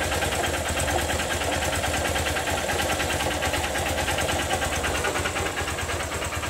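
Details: Honda Titan motorcycle at idle, recorded up close: a light, fairly regular tapping about two per second over the exhaust putter; noticed a week ago, owner suspects a knocking connecting rod (biela), unconfirmed.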